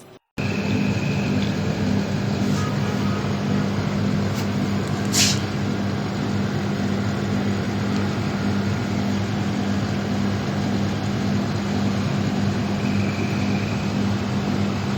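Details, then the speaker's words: 1.5-ton split AC outdoor unit fan after bearing replacement: steady even whir with low hum, no rattle or grinding; fan now runs smooth and quiet. "ये देखें हमारा fan बिल्कुल ठीक हो गया है, अब ये आवाज नहीं कर रहा।"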